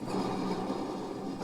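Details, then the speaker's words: Idler pulley on a used commercial zero-turn mower deck spun by hand gives a gritty, rough rushing sound; worn, noisy idler bearing, which is riveted into its housing and not separately replaceable. "man those are going to be noisy"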